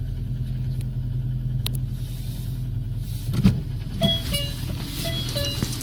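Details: Lada 2114 with 1.6 8-valve 11183 engine: low, rough rumble with a dull tractor-like knock underneath. It knocked from new but quieted when warm; by 20,000 km it also knocks hot. Valve adjustment didn't help; the owner concluded piston slap and replaced C/D-class pistons with E-class.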